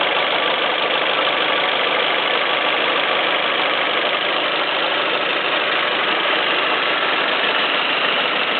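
Steady idle carrying an uneven, rapid clacking, roughly three per second, above a smooth hum; a clack at idle, cause still unknown.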